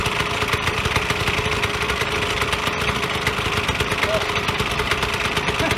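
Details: Vyatka Elektron two-stroke scooter revived after long garage storage: rapid, even ring-ding chatter holding steady idle speed without stumbling; running properly.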